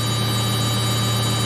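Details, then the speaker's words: Samsung 8kg Eco Bubble front-load washer, final spin at 1200 RPM: steady, even hum with a fixed high tone, no knocking or thumping; stable, quiet normal high-speed spin. "That way the machine is so stable, so that even when it spins at high speeds, it does not make a lot of noise."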